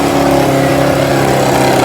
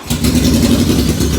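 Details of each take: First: 1981 Yamaha XJ650 bobber, not warmed up, loud: revving that sags and hunts unevenly, dropping to a ragged faltering idle near stalling; cold engine stumbling, about to die, otherwise said to run really good. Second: 1981 Yamaha XJ650 bobber, not started in a few days, on choke with a couple of pumps and fuel tap still off: fires almost instantly, smooth even idle without misses or knocks; starts right up every time, normal.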